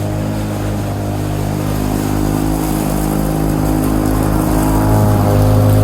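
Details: 1987 Lawn-Boy 8073B two-stroke mower, first run after sitting almost a year, new greased capstan rollers fitted: steady even buzz holding pitch, building slightly in volume, no misfires or knocks; hard starting but runs fine.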